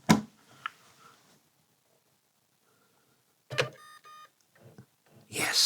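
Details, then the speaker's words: Sony BDP-S490 Blu-ray player after repairing a faulty diode that left it dead: a sharp click, a pause, another click and a faint beep on power-up; the normal start sequence it always made. "Hear the noise. That's the sound it's always done. So, it was a dodgy diode."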